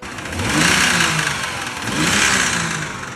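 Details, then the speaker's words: 2011 BMW 328i E93, just bought, revved twice from idle: a rough, uneven knock rides under the engine as it climbs; rod knock confirmed by the oil filter, and the engine later threw a rod. "sure as hell that was knocking but I posted on Instagram a lot of people said that doesn't sound like it"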